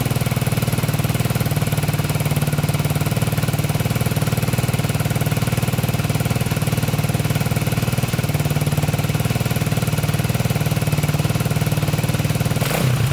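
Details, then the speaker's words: 1987 Honda 250X single with new valves and coil, 12:1 high-compression piston, tank not yet cleaned: steady thump about four beats a second, even rhythm, brief blip at end; normal healthy idle. "seems like it's running pretty good um i did look it up 12 to 1 piston high compression"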